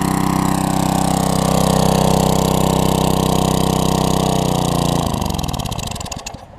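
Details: Coleman 1500psi pressure washer, almost 20 years old, Tecumseh engine with donor carb from junk engine, after sidewalk washing: steady even running then clean wind-down at shutoff; healthy despite minor hose leak.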